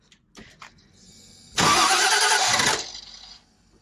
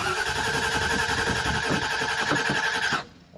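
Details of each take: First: 1968 Mustang Fastback with newly installed Holley Sniper EFI 2: two loud bursts of cranking that catch and fire a few seconds apart; engine starting. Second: 1968 Mustang Fastback with a newly installed Holley Sniper EFI 2, after fuel fittings were tightened to stop a leak: fast, slightly uneven cranking for three seconds that never catches. It cranks but won't start with no spark; the coil is suspected.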